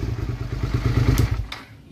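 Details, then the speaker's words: Motorcycle with faulty clutch-lever kill switch bridged after ignition switch and starter relay replacement: even, regular exhaust thump and a short clean rev; engine runs smoothly. "it's yeah it's it's a kill switch problem man does that sound good"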